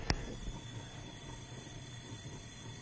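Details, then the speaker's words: 2004 Mazda Tribute that died with a noise and puff of smoke and now cranks but won't start, leak-down test with engine stopped: after a click, a steady airy hiss as air rushes past the closed valves and out the exhaust, no compression in the cylinder. "intake valves are definitely closed exhaust valves are definitely closed and i hear a definite rush of air notice no compression in this cylinder"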